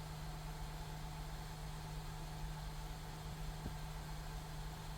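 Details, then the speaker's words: Honda Pilot with code P3400, check emission system warning and sluggish running below 30 mph, after sensor replacement torqued to 18 ft-lb: smooth, steady low idle with no misses or hunting while warming up, sounding better than before. Normal idle. "oh it even sounds better now yeah before"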